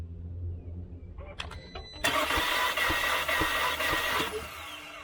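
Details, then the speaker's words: 2013 VW Tiguan 2.0T towed in for a no-start, compression test in progress: the starter spins fast and even with no compression pulses. The engine built 50 psi once, then nothing, and the intake cam isn't being turned by its cam gear/actuator. "Well, why didn't it build any that time? Well, that's not a good sign. It built 50 pounds of pressure the first time, nothing after that."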